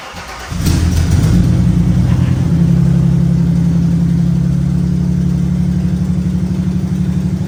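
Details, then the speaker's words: Chassis-swapped 1965 Mustang with twin turbos, first start in about 6 months: cranks briefly, catches at once and settles into an even, steady idle with no stumble; a normal cold start. "All right, let's see what happens. First start in probably 6 months."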